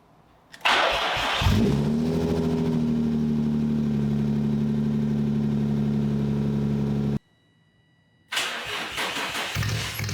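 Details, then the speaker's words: 2004 Infiniti G35 with muffler removed, exhaust running on the pipe (muffler hangers missing): cranks, catches, settles into deep loud droning idle; exhaust too loud without the muffler. "I think that should be good enough for now. I just need to get the rubber pieces for the actual muffler to put that on. I feel like it's not as annoying, but it's still loud."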